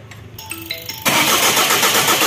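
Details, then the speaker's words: Diesel engine after timing belt and valve repair, where a push-start broke the belt, started after bleeding air from the injector lines: a few cranking clicks, then it catches at once into a steady diesel clatter; starts cleanly. "बस बस दोस्तों तो सबका यहां पर air इसमें से निकल गया जो एयर था पूरा डीजल का सर्कुलेशन हो चुका है तो यहां पर गाड़ी हिट हो रही है"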